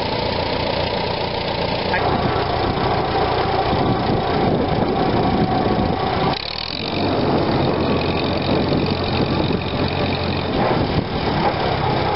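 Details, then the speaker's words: 1945 Farmall BN after Zenith carburetor cleaning of blockage, warm after a long ride: even, steady idle that picks up cleanly on throttle and settles smoothly; normal idle and throttle response, repair successful. "alright guys here's the test after a good warm-up went for a nice long ride I've come home that hit that throttle she was wearing to see what she does"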